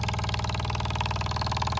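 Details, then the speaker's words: Test-rig fuel pump at maximum flow through the regulator, about 2 PSI, nothing bypassing, before a 300 mL pulse damping canister: fast, even pulsing buzz with a steady low drone underneath; normal pulse-type pump operation. "So, literally, it's um coming out of the pump, but it's pulsing as you can hear."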